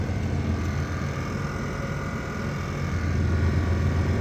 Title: The Buzzing Sound you hear if your Air-Suspension compressor is working on a 98-99 Navigator.